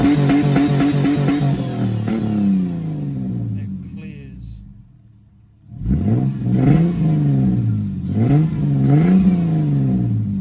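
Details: Ford AU Falcon, misfire only under decent/heavy load, persisting after new leads, plugs, fuel filter, cleaned TPS and MAP sensor work: revs rise and fall with uneven stumbling, cutting beat; owner narrows it to fuel pressure, suspects pump or tank debris.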